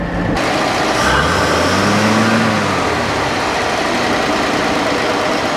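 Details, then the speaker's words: 1962 Dodge D300 straight-six after coolant fill, air cleaner on: steady, smooth idle "like a sewing machine", no knocks or misses; healthy, oil gauge not working, alternator being checked. "all right while it's sitting there idling like a sewing machine"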